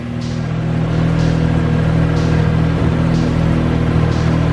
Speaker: How good does this thing run, man? No leaks.